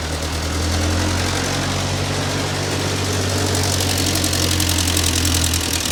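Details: Ford 9N tractor that sat 10-15 years, just after the fuel system was redone (carburetor float had been stuck closed): fairly even idle with a low, steady thump and no knocks. Runs healthy, though heat is building and the upper radiator hose is bad.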